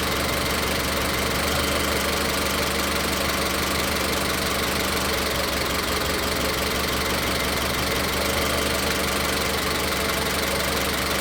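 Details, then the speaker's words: Car with individual coil-on-plug ignition and a misfire: uneven, stumbling idle with dropped beats; unplugging coil connectors one by one while running shows the misfire is in cylinder three. "Como se puede ver, ahí encontramos la falla Cuando quito este conector, el motor no falla."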